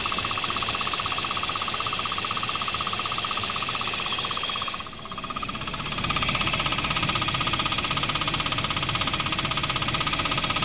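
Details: 1989 Volvo 760 Turbo wagon with a 230FT engine from a 1994 940 SE (piston oil squirters, about 110K miles, synthetic oil) idling after cold start with a steady, sharp knock about four beats a second; seems to come from the bell housing/torque converter area, worsening over a year.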